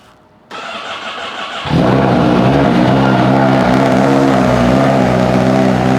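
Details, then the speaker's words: Honda Fireblade with exhaust servo delete mod, cold start in closed garage: starter cranks briefly, engine catches, then a loud steady droning hum at idle; owner finds it drones too much. "Personally, I just don't like wearing earplugs, and I find that it's just a little bit, you know what I mean? So it just drones a little bit."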